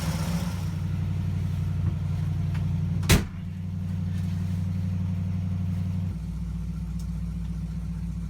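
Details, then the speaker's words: 1960 Pontiac Ventura V8 that ran badly in the cold, still a little cold. Deep even idle with a clunk into reverse, then settles lower, smooth, not too high, no bogging; slight cold stumble expected. "really good in Reverse smooth that's not running too high doesn't feel like it's bogging down at all still a little cold a fella stumbling it's to be expected"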